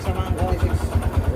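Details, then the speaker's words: Kawasaki Barako 2 motorcycle single at idle: heavy, regular low thumping about ten times a second; very noisy, diagnosed as worn connecting rod. "Isue niya connecting rod mga idol. Napakaingay. Narinig niyo naman kanina."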